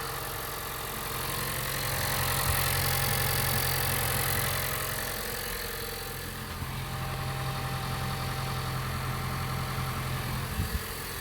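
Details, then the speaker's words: 2015 Honda Jade hybrid after the fuel and misfire repair, errors cleared and the throttle body relearning: revs come up and it holds a steady, even idle with no stumbles; running smoothly, no errors. "всё пошёл обучаться обороты набрал движок работает ровненько"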